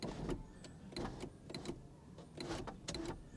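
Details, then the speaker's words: Mercedes E320 W210 at about 315,000 miles; sunroof only kind of works, short quiet motor whirs in stop-start bursts with faint clicks as the panel moves hesitantly; cables need lubricating. Sluggish sunroof operation. "Yeah. Yeah, we're going to call that a win. We don't want to open it too much because it won't be a win. It'll be a great big loss. Need to lubricate those cables as well."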